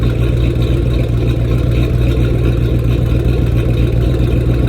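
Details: 2010 Ford Mustang GT: deep, uneven idle with a lumpy, stumbling beat about three to four times a second. The owner suspects bad fuel injectors; not confirmed.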